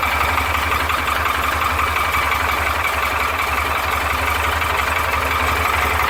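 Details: Porsche 912 air-cooled engine: uneven light knocking about three per second over a busy idle; suspected piston slap, not confirmed.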